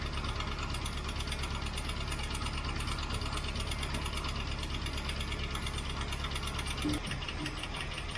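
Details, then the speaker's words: 1967 Mustang 390 V8 on a carbureted start: fast light ticking over a lumpy idle that does not sound like all eight cylinders are firing. A noisy lifter with a rough idle; the owner suspects a bad cam or cam lobe. "I've still got a lifter making lots of noise a lifter making lots of noise combined with an engine that isn't running on all eight is not really a good sign"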